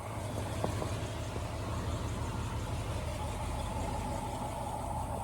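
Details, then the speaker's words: 1964 Ford Ranchero with new Pertronix electronic ignition replacing points, cold start days later: quiet even low idle with soft steady beat, no misfires or knocks; water pump possibly audible. "Is that nuts or what? This car just impresses me every time. How nice and quiet that is. I think I hear the water pump this time, but there we go."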